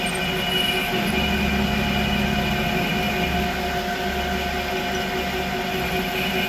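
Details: Creworks 8x16 lathe after a carriage play adjustment, test cutting. Steady motor whine with an even gear hum and no knocks or chatter; normal running, and the carriage is more rigid than before.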